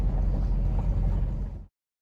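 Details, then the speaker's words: 1974 Jensen Interceptor, Chrysler Mopar big-block V8, first startup after lifter replacement with rocker shaft bolts torqued to 25 ft-lb: low, even V8 rumble, tapping gone as lifters fill with oil, valvetrain healthy, normal idle. "well that valve noise this tapping noise has just gone just have to see what happens there in the next 25 minutes"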